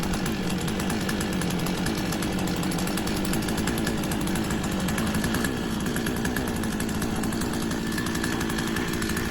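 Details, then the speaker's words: Two-stroke petrol chainsaw, unused for a while, just started after an ignition coil replacement, with some fuel poured into the carburettor. A steady buzzing drone holding an even pitch with no misses or surging; now running smoothly. "Starting to go there, and as you can see I've managed to get it going."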